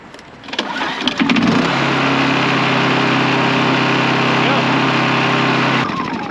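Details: Honda EU2200i inverter generator just after an oil change, being started: pulls over, catches within a second, then settles into a smooth, even steady drone with a clean hum and no knocks or misses; normal start and run.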